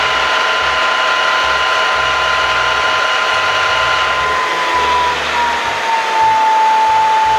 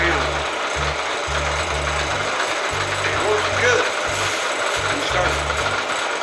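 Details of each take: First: Bridgeport Series I milling machine spindle after head removal and repair (previously lost speed partway up, reported stuck keyway): smooth steady hum with clean tone sliding lower as speed drops, no knocking or grinding. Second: Bridgeport Series I milling machine head, variable speed drive: uneven clunking and ratcheting as the spindle reaches about half speed, then it slows instead of speeding up; owner was told the keyway is stuck.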